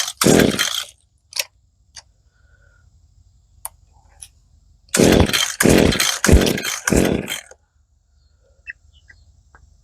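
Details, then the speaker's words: 25–30-year-old Echo SRM-2100 two-stroke trimmer with brand-new aftermarket carburetor, fuel system dry: repeated pull-cord bursts, engine barely catches and dies; hard starting, owner suspects the old trimmer or needle settings, not confirmed. "Okay, this baby is not easy to start."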